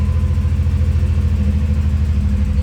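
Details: 1990 Pontiac 6000 SE AWD that sat 20+ years, coming up to temperature with oil pressure and charging voltage, a slight miss and a rubbing muffler. Gaskets were not installed, and the low, lumpy, shaky idle comes from that intake vacuum leak: rough idle.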